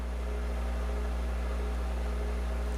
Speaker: this is a 60 cycle hum and this is typical for a ground loop